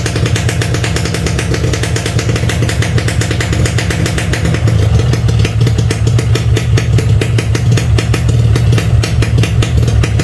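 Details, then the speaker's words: Standard Yamaha RX King two-stroke, cold first start with choke pulled: rapid crisp even popping with a few light revs; normal cold running, not a real fault, choke provided by factory for this. "kalau pertama kali dparis ditarik joknya Nah kalau kayak gini disebutnya masalah bukan bukan ini bukan bukan suatu masalah berat ya temen-temen"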